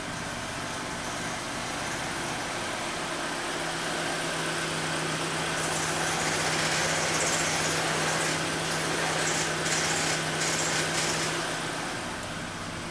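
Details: 2011 Citroën C4 1.6 16V, 68,000 km: engine noise and clutch pedal shudder when pressed; even idle, then a steady low hum for several seconds that drops away; diagnosed worn clutch kit needing replacement.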